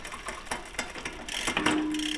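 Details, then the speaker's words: E-bike drivetrain: rapid uneven ticking and clacking as the chain jumps around and won't stay on the cog; shift cable tension deliberately misadjusted, causing chain skipping. "Now you can see well you can firstly you can hear that clicking noise and you can see that the chain's kind of jumping around not really staying on the gear very well. So that's kind of a sign that the tension of your shifting cable is not quite right."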